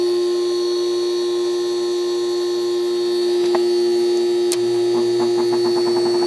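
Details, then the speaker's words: 1973 Whirlpool 6,000 BTU air conditioner with a Seeger rotary compressor, heard up close to the warm compressor. It runs with a smooth, even hum, steady tone and no knocks or rattles: normal running. "let's hear the compressor around it should start it's kind of warm down here this is very smooth running"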